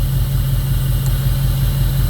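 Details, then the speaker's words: 2002 Jeep Grand Cherokee 4.7 HO with a coil-melting problem, fitted with seven new coils, one old coil and eight new plugs: loping idle with a regular stumble. After coil 1 is unplugged and replugged, the dead-cylinder misfire persists. "And we plug it back in. And it still clearly has a miss. Now it's doing it on this coil as well."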